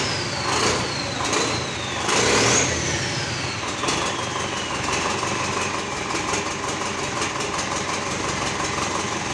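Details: GAZ 3309 D-245 diesel after repair fires up and settles into an even clattering idle with no misses or knocks; a normal, healthy idle.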